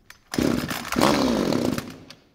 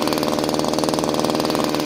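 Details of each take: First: Subscriber's pruning chainsaw after carburettor work and straightening the fuel tank inlet line: fires, runs briefly and dies by itself on full choke, then restarts holding a steady high buzz; stalling on choke is a good sign, it didn't before. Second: Subscriber's pruning chainsaw: fast steady two-stroke buzz that never drops to a slow idle; idle is too high because the idle screw is open too far.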